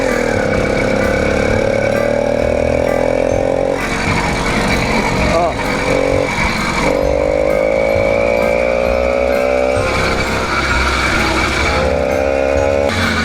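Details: Newly ported 80cc two-stroke motorized bicycle ("the Mule"), warmed up to operating temperature, cold weather, no visible leaks: note climbs slowly and keeps breaking up under load, struggling for power and four-stroking; owner unsure of the cause, considers leaning out the mixture; four-stroking and bogging.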